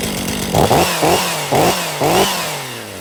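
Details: 2023 Stihl MS500i 79cc fuel-injected chainsaw, after a new NGK CMR6H plug: it catches, clears with sharp blips about twice a second, then settles and revs cleanly. The flooding has cleared and it runs healthy.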